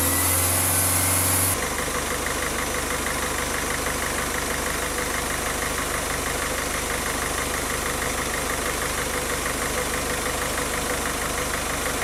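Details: Diesel car engine after a rough-idle fix for RPM rising and falling at idle, with the fuel system bled of air: steady, even clatter holding one speed with no hunting or misses; running smoothly.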